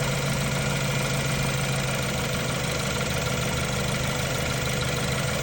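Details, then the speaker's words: 2015 BMW F30 320i xDrive, N20 twin-power turbo petrol, idling before timing chain replacement, no check engine light: faint light metallic clicking rattle over engine hum, from the timing chain. "No nothing, but you can hear a little bit clicking noise and a little bit metallic noise."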